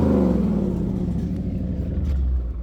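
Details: Dodge Charger after a no-start fix; the owner first suspected the fuel pump, but removing an old spliced wire (speaker wire) fixed it. Deep rumble falling off smoothly after a rev with no misfire or clatter; it now runs normally.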